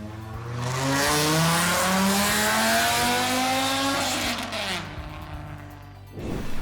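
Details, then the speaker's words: Volvo 850 project car, after adding a muffler to the former straight pipe: smooth rev pulls with a deep, subdued, more mellow exhaust tone, no rasp or popping; exhaust sounds healthy. "so now it's a little more mellow yeah let's see how you'll hear how it sounds i think it sounds pretty good"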